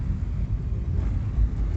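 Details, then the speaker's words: VW Voyage on a potholed road after shimming the loose front driver window and padding the dashboard: only deep even road rumble, no knocking or buzzing from door or trim; window rattle fixed. "E realmente o vidro parou de bater. Maravilha. Deu certo."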